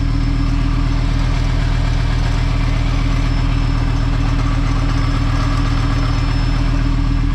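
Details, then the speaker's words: VR5-swapped Mk3 Golf, about a minute after first start back on the ground, checking for coolant leaks: smooth, even idle with a steady low pulse of about 2.5 beats per second, no knocks or misses; normal idle. "Start her up. Woo, she sounds good. All right, boys, here we go. So far, so good."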